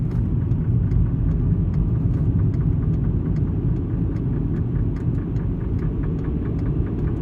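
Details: VW Golf Mk5 driving: a loose, uneven ticking rattle over heavy low road-and-engine rumble, plus a suspected driveshaft noise when turning right at about 20 mph; heat shields and exhaust mounts were checked, and this was recorded before the worn gearbox-side engine mount was replaced.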